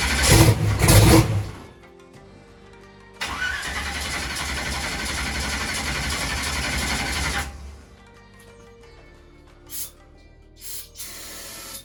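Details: Holley EFI drag race car, no-start: a steady four-second cranking whir that never fires. Fuel pressure was low while cranking, and the throttle position sensor was found unplugged.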